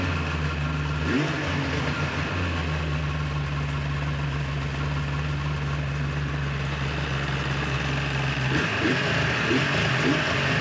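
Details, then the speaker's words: 2004 Viper two-stroke with 8,000 miles, after exhaust manifold repair and variable exhaust valve cleaning: crisp drone, pitch lifts cleanly on throttle with no stumble or rattle; snappier, revs out faster and cleaner, healthy. "Okay, so the Viper is back together now. It overall, I'd have to say, is much snappier. It revs out faster and cleaner."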